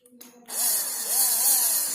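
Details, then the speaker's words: Homemade 12V mini hand drill, small DC motor wired to a battery, no chuck fitted yet: sharp high-pitched buzzing whir spins up quickly and holds strong and steady; motor runs cleanly and healthy. "Đây, rất là ngon ha. Nghe tiếng rất là ghê đúng không?"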